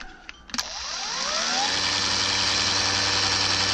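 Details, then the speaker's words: Brand-new Harbor Freight LYNXX 40V chainsaw with bar and chain removed: a click, then the motor spins up in a rising whine and settles to a steady high hum. With the chain fitted it will not run. The battery shows full charge but the charger blinks red, and the cause is unknown. "It's running, but for some reason, with the chain on, it will not run."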